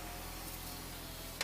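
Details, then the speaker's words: Audi TT Mk1 roadster with engine running: passenger power window auto down and up with steady, even motor whir, then a soft thunk at its stop; passenger window operating normally. "so the passenger side works fine automatically goes down and automatically"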